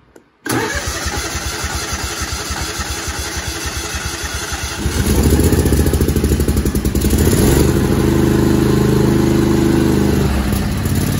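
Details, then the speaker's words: Craftsman GT5000 mower, Kohler Pro/Command 25hp engine, after carburettor clean and reinstall: cranks briefly, catches, then a steady even run with no misfires; first start took a little while, owner thinks no fuel in the carb yet. "all right so we cleaned up the carburetor put it on at first as it started it took a little bit but I think you know there was no fuel in there"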